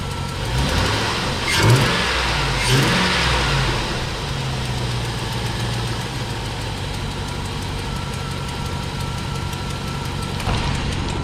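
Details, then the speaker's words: 1999-2006 GMT800 Chevrolet/GMC truck, Northern truck with a broken front exhaust bolt, recorded on a tripod: two sharp throttle snaps over a rough idle with raspy, chuffing exhaust, an exhaust leak. "going to set you up here on the tripod and just snap the throttle a couple of times"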